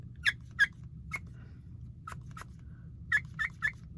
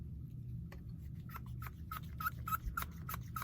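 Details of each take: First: If it's in the other direction, the air gets sucked out. You can hear it squeaking when you push air into it. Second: Pneumatic switch feeding a piston on a model excavator: short sharp squeaks about three per second as air is pushed into the diaphragm, over a low background hum; the diaphragm is working normally.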